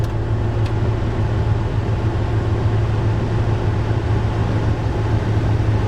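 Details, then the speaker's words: Ford Raptor, engine running, AC turned on with fan blowing, after the HVAC air inlet housing duct flap was extracted: steady fan whoosh over low idle, no vibration or noise; normal blower operation. "So the AC sounds fine. Let's go ahead and increase the fan speed."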